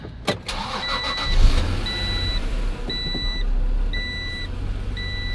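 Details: Acura NSX NA2 after cleaning a gunked throttle body to cure idle dropping at stops, check engine light still on: cranks briefly, catches at once and settles to a steady idle while the dash chime beeps. Normal start.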